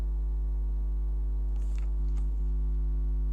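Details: Xbox One power supply after capacitor replacement, fan disconnected, microphone far away: low, steady hum with no crackle, buzz or whine; the power supply sounds healthy and settled.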